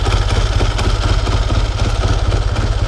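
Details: 1954 Triumph Tiger 500 twin, dead cold start after sitting a long time: lumpy but even low thump about three beats a second with slight rattle on top; healthy normal idle.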